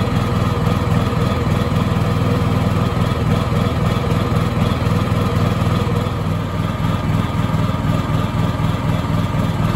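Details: Honda EU7000is inverter generator with GenConnex conversion running on natural gas at about 700 VA: heavy low thrum pulsing about four times a second, shaking the unit and backfiring, worse with no load; rough running, cause unconfirmed.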